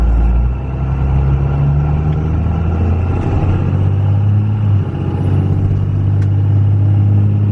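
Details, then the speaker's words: 2001 Cummins 5.9L 24-valve diesel after valve lash adjustment, test cruise heard from the cab: steady low drone, mild road noise, no top-end tapping; far quieter than the very loud pre-adjustment sound; normal running. "It definitely sounds a lot quieter from in the cab here. This thing was louder than loud before."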